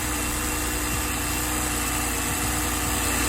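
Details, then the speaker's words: BMW 328xi, N52 engine, 98,000 miles, after fixing a cylinder 5 misfire with codes cleared: it starts and idles smoothly and evenly, with no stumble or skipped beats. "let's go ahead and give it a start see what happens solid no problems whatsoever got to love them when they're easy fixes"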